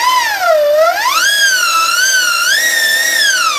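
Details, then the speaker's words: Sur Ron Light Bee after jackshaft replacement, belt tightened, throttle blips: smooth clean motor whine rising and falling, no clanks or knocks; clanking from failed jackshaft bearing is fixed. "that's what a sauron's supposed to sound like without the you know without all the the secondary drivetrain in there"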